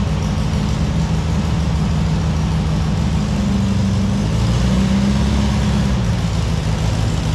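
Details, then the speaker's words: Barn-find VW Beetle, sat 40 years, running after sorting its accelerator cable: steady, even flat-four drone with no knocks or misses, drives great. "So we've had a drive in this car now, and it seems to drive great."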